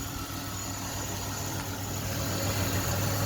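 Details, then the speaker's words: 2007 Chevy Impala at idle, heard under the hood: a quiet, smooth, steady low hum with no ticking, knocking or squeal and no abnormal noises; the engine sounds normal. "Pretty quiet. Sounds pretty good. There's no abnormal noises."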